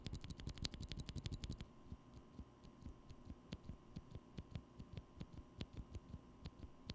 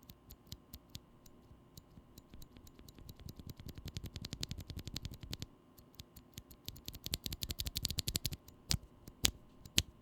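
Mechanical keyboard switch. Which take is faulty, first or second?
second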